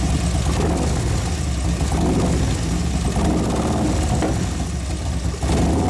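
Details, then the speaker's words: 2011 Harley Road Glide FLT Twin Cam, hot and warmed up: rough, uneven running with light clicking under the rumble, dropping a cylinder; owner says it wouldn't accelerate until about 3,000 rpm. Cause not yet found. "so i was like why is it running one cell and here dropped the cylinder yeah and i was trying to accelerate it wouldn't go it wouldn't go it was on one turn"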